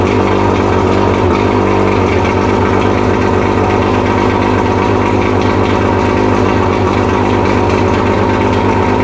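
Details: Mercury 115 two-stroke outboard, first test run after 18-month rebuild fixing idle hammering from severely worn piston (two engines combined), on water and premix tank: steady even idle, no knocking or uneven beats throughout.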